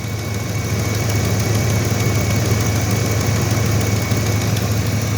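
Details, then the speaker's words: 2004 Dodge Durango, 300,000 miles, warm idle after startup: faint quick puffing tick in time with firing pulses, no lifter noise or knock; exhaust leak, otherwise runs well. "that's an exhaust leak other than that this thing runs like a champ never misses a beat"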